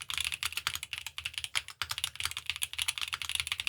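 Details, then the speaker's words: Chosfox Leo80 keyboard, gasket mount, PC plate, GMK caps, stock stabilizers before lubing: fast clacky typing with a loose, tinny rattle trailing longer keystrokes from stabilizer wires knocking; the fix is lubing them with 205g0. "so I had to stop the sound test because these stabilizers sound terrible"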